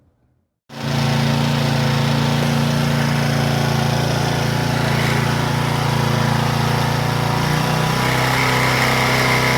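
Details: Power Trim edger after fitting a new Pulsa Jet carburetor kit: starts within a second and settles straight into an even, steady buzz with no surging or hunting; holding speed properly, oil change to 30-weight still to do.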